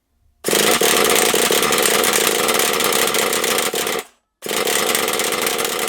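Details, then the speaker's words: HPI Savage SS nitro RC car, first start after years in a shed, primed with the glow starter on. A high, raspy buzz surges and cuts out; the engine nearly runs but sputters and won't keep running. "she's nearly running did you wear that she's nearly going"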